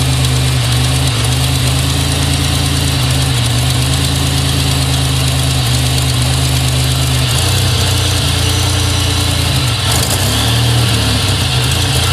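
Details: 2000 GSE engine on a morning cold start: loud idle that stumbles unevenly and hiccups, with injector noise and backfires; misfire with no codes that goes away once warmed.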